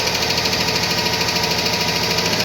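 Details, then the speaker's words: Cadillac Escalade ESV V8 with fast, even metallic ticking from tapping hydraulic lifters; this engine later turned out to have a spun bearing shell and was disassembled. "Сейчас скину Стук когда стучат гидрокомпенсаторы"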